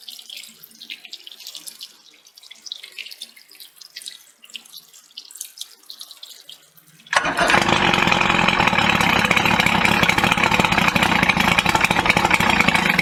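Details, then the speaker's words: 1988 Evinrude 88SPL outboard just after carburetor rebuild, cam, cable and timing-mechanism checks, out of water: fires right up into steady even buzz, no misses; runs well, timing still to be set under load. "so all right well she sounds good i just got to take it out and uh do the timing on it but i got to get her on the water to do that"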